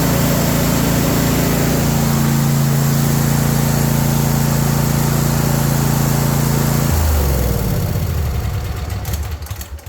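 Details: John Deere S130 mower brought in as a no-start, running after a battery change with the charging voltage checked at 14.1 V. A steady, even low hum with no misses or knocks, then it winds down at switch-off; the engine is healthy.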